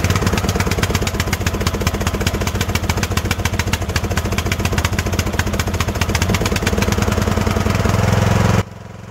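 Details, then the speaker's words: Craftsman riding mower single-cylinder engine after a valve seat repair and cylinder head reinstall: uneven, lumpy chugging that then cuts out. It runs over-rich because a bent linkage kept the choke from releasing. "all right so there when I started it it started right up and it was running rough that was because the choke did not release"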